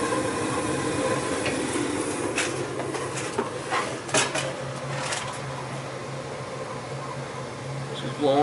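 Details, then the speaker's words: Newly installed Ruud 80+ 50,000 BTU gas furnace at first startup, replacing a 34-year-old unit: quiet steady low blower hum with a few light ticks, quiet with cover on; a little smoke burning off is normal, running normally. "a little bit of smoke pretty quiet with the cover on there it's getting a little smoky in here but that's normal"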